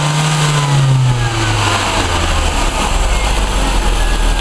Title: Orion Zetec misfire